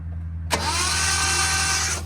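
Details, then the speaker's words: Abandoned 1972 Datsun 240Z L24 on a weak lawnmower battery, spark plugs removed: fast, even starter whir with no firing; cranks but no start, no spark found. "No spark. Okay. I was concerned at first that it was spinning so fast, but I just pulled all the spark plugs out, so obviously."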